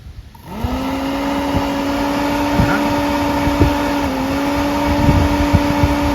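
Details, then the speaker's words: Chinese 150cc motor scooter radiator fan, wired straight to battery positive with a ground to test it: spins up in half a second to a steady, even hum and holds speed; fan works normally, but nothing triggers it to switch on. "So the fan does work. It's just that nothing's triggering it to go off."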